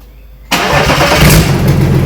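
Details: BMW M57D30 diesel (184 hp, from E46 330d Touring) swapped into E36 compact, first start: fires into loud, raw, rattly run with hollow chuffing, because the exhaust manifold port has no blanking plate, boost pipes are missing and the inlet manifold isn't fully bolted down.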